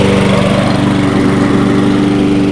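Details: Free Toro 22-inch Recycler mower, reassembled after being found taken apart, overfilled with oil and smoking as it burns it off; the engine runs loud and even at a steady idle, no surging or misfire.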